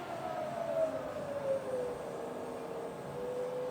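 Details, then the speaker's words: Rebuilt Bridgeport milling machine, spindle in reverse, slowing to 550 RPM: smooth, quiet hum gliding steadily lower as speed drops, no knocks or grinding; normal spindle run. "Oh, and then back to 550. Lovely and quiet and smooth."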